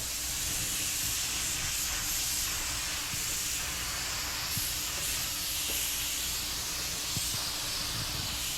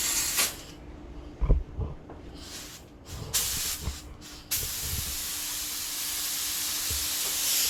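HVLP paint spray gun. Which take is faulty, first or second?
second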